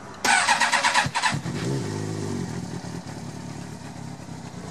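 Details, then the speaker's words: Carbureted bike engine started cold with choke full on: catches then settles into slow, uneven, low-pitched idle below 1,000 rpm; rich low rough idle. "You can see from the the commenter that the engine is idling below 1,000 RPM."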